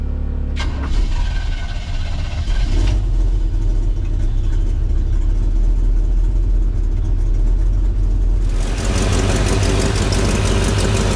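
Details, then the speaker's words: 1948 Chevrolet 3600 pickup, modified 350 V8 (355, 5.8L, 350HP) with aluminum radiator, on a drive: deep, steady V8 rumble, then a rushing whoosh as the electric cooling fan kicks on; engine sounds good and healthy. "A modified 350, and this thing sounds good. You can hear the fan turning on there with the aluminum radiator."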